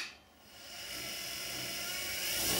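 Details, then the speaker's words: Axminster Precision Pro Pen Lathe, 375 W motor (owner thinks brushed), restarted after stop: high whine climbing smoothly and gradually in pitch and volume from standstill; normal soft-start acceleration. "As you can hear there, it's a soft start, so it gradually accelerates. So that's not damaging the motor as much."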